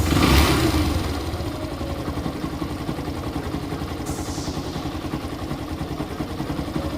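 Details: Yamaha FZ-S V3 style bike engine idling: small blips then fast idle with loose metallic clatter over the beat; magnet noise suspected, cause unconfirmed.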